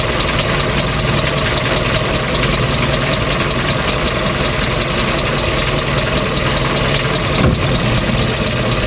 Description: Since beginning of season this ticking noise started coming to the engine.